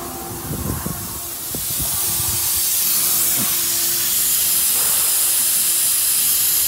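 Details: Volvo truck at about minus 1.5°C: loud steady hiss of escaping air that swells and holds, with some handling clatter early; not an air bag, the leak is from the central leveling valve.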